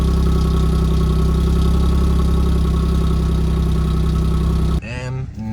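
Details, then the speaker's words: B8 Audi S4 after replacement transmission fitted, hood open, just started: steady smooth low idle with even pulse, no misses or knocks; idles nicely, only tyre pressure light on, though car smells rich. "the hood is open right now idles really nicely and it sounds amazing"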